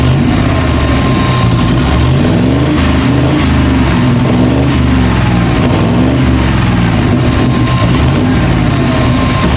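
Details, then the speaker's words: 1998 Chevy van 5.7 V8 after intake manifold removal and injector repair, misfires gone: hunting lumpy idle that never settles, stalls when put in gear; lean codes P0171/P0174, vacuum leak. "пропуски определенно ушли но что то случилось еще он не работает как положено глохнет при включении передачи"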